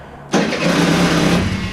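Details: Aprilia SR50 scooter with Polini full motor build, after fitting a custom rebuilt fuel pump with adjustable fuel-flow control unit, cranks and catches only in a short ragged burst that fades; hard starting, fuel flow setting suspected, not confirmed.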